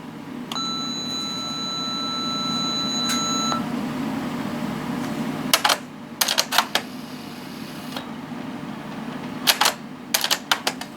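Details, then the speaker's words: Panasonic KX-T1450 dual cassette answering machine: long beep then crisp clicks and clunks as the tape mechanism cycles after recording a test outgoing message, operating normally. "as you can see this is still operates very well"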